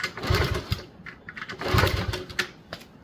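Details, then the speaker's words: 1977 Honda CT70 sitting 20 years, compression test with two kick-over strokes and no spark: quick runs of solid chuffs against strong resistance, no firing; really good compression, about 180. "I don't know what the compression is supposed to exactly be for these. Let's just see if the hell of it. Oh man, it's really good compression."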